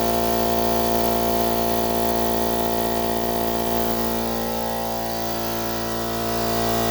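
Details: Central Pneumatic 2 hp, 8-gallon, 125 psi air compressor that struggled to start and then died, after replacing the 100 µF 250 V capacitor: it comes up to speed without straining and holds a steady hum with an even pumping beat, running normally.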